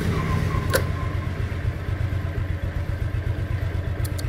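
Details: 2010 Yamaha Exciter single-swingarm motorcycle, first registered 2013, engine never opened: steady low thumping idle about four beats a second, even with no knocks or rattles; engine sounds healthy.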